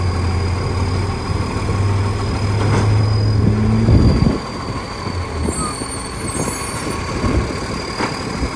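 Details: West Torrens diesel garbage truck revving then settling: a heavy rumble with an uneven puffing tick riding on it. Big exhaust leak.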